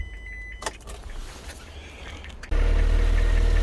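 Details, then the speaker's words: Rover K-series engine after flat-battery trouble, suspected parasitic drain: engine catches after a short crank and settles straight into an even, steady low idle with no knocks or misses; sounds normal. "I'll tell you what that is that's the smoothest K series I've ever heard definitely what that's how it's supposed to sound like"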